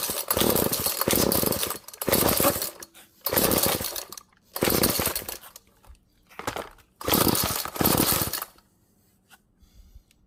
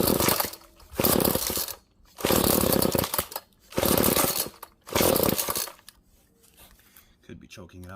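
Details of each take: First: Found GTI 16D string trimmer two-stroke after choke attempts and more fuel: catches and revs hard in repeated bursts with clean, crisp pickup, dropping back between; normal running. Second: Found GTI 16D string trimmer with compression, choke on: four rough pull-cord bursts, the engine tries to light but doesn't keep running; more gas is suspected as the need, not confirmed.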